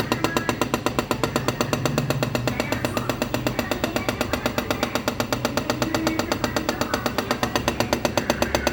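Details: Refrigerator compressor knocking loudly, steady hard knocks about four per second over a running hum; cause unknown.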